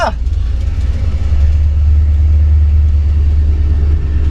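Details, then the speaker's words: 1966 Chrysler 300 383 big-block V8 with new Holley Sniper EFI, after fuel pump wires were swapped to correct polarity and pressure restored: fires straight up, steady even low rumble without hesitation or surging; normal running. "so i switch the wires around and look at that fuel pressure oh it starts right up hahaha freaking amazing i freaking did it"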